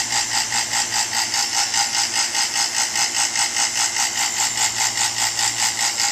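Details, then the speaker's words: New non-brand two-stage 3.9 CFM HVAC vacuum pump at startup: loud, high, even buzzing pulsing about 2.5 times a second, unusual startup noise of unknown cause that quiets down after a moment. "shouldn't even be making that noise that's kind of weird um it's a new pump but I think oh there it goes it's quieting [Applause] down"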